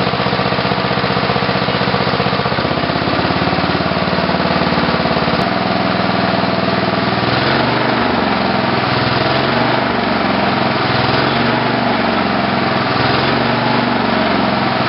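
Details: Tecumseh HH120 engine with a GM LS2 ignition coil and modified GM crankshaft sensor, final test run: the small single pops along steadily with no misfires, surging or knock; runs healthy.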